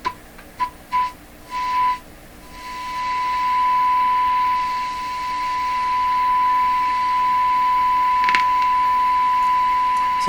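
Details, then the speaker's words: Nordmende Traviata 59 tube radio with low output, fed by signal generator through antenna simulator: silent, then pure steady tone tuned in with a loud rushing hiss swelling under it; receiver adds excessive hiss. "the radio is completely silent and then i tune in the signal and then along comes the pure signal and a big hiss with it"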